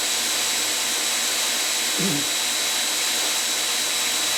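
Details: Homemade knife belt grinder, motor on VFD with potentiometer speed control, running at low speed about 800 rpm: even steady motor rush with thin high whine, no knocks or wobble; normal running.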